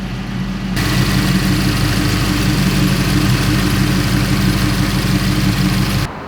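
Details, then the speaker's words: 1935 Ford pickup V8 after carburettor-to-Holley Sniper EFI conversion, warming toward operating temperature: steady, even low idle rumble with no knocks, misses or surging; running smoothly. "All right, so everything's running smoothly."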